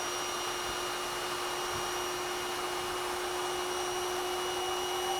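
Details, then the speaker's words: Intex AP634 (66634) Quick-Fill electric air pump, 32 W, 480 l/min, inflating a PVC boat's air chambers; constant steady motor hum with fixed tone as it runs against a fully inflated chamber: pump at full pressure. "but all friends, you hear, he went already threshing now I turn it off now 24 now I turn it off"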